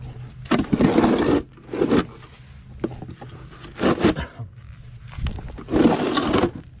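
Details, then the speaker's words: 2009 Nissan Murano before repair: loud raspy blats on each throttle blip, dropping to a low rumble between, sounding like a stock car. The rusty exhaust pipe is possibly snapped in half and leaking, with steam escaping there. "Well, I imagine you could hear it. Sounds a bit like an like a stock car right now."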